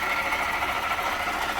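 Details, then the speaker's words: 2018 Jeep Grand Cherokee 3.6 at idle, heard through a long screwdriver held on top of the water pump. Constant loud high whirring ring, even and unbroken: worn water pump bearing, confirmed after checking the other belt components. "Right to the top of the water pump there. Right there. Ooh, yeah. Ooh, doggy. That's loud. So I know the noise is coming from there because I checked everything beforehand."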